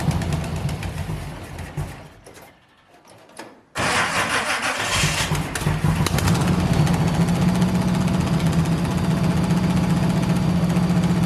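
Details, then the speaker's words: 1971 Chevy Nova small-block V8 idling after timing was backed off from too far advanced: choppy, uneven idle with a rough puffing edge. A blown header gasket on the left bank makes it sound bad; plugs came out dry. "part of why this thing sounds like crap more so than runs like crap is it's got just a blown out header gasket on the left bank"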